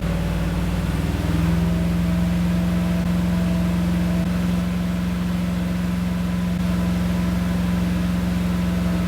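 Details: Freshly assembled small block V8 with Comp Cams XE268 cam, new lifters and pushrods, in an '85 C10, first start and cam break-in at about 2,500 rpm, good oil pressure: steady, even drone, no knocks, ticks or misses.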